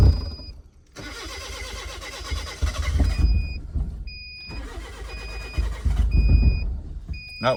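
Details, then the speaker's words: Kia cranking on a crank no-start, before the new camshaft and crankshaft position sensors are installed: two long cranking spells at about three to four beats a second, never firing; owner suspects the cam and crank sensors. "Um, I got the cam shaft and crankshaft position sensor. Hopefully, this would help a lot. Maybe this is probably just the reason why it's not starting."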